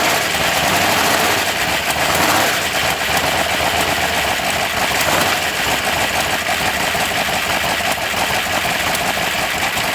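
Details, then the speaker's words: 1980 Chevrolet C10 Cheyenne, 377 stroker V8 with big cam, valves not yet adjusted: rough uneven idle with stumbles, sounds weak, not hitting on all cylinders, no backfiring; owner suspects timing, cause unconfirmed. "we did get it to run for a little bit uh definitely sounds like she's not hitting on all cylinders I don't know what's going on maybe it's a timing thing um not backfiring anything just sounds really weak"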